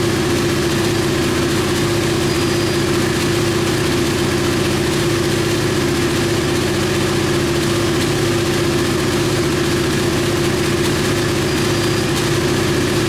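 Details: KTM Duke 125 single idling steadily with a constant mid-pitch drone, no misses, knocks or rattles, on the lift after starting. It came in hard-starting/not starting despite spark; the diagnostic scan found no faults. Healthy idle.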